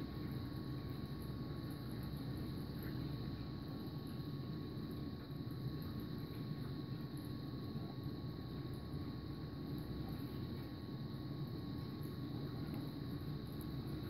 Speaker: I can hear it reading it there yeah it looks like it's good see a video play here yeah it looks good to me